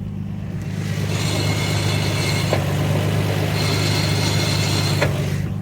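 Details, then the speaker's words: 1991 Nissan Skyline GT-R32, 96,356 km, Nismo turbos, injectors and upgraded fuel pump, Nismo twin disc clutch, phone set down low: over steady idle, a metallic chattering hiss comes in twice as the clutch pedal moves; normal twin-disc clutch engagement noise. "Oh, it has a Nismo twin disc clutch, and you'll hear that when I push in the clutch."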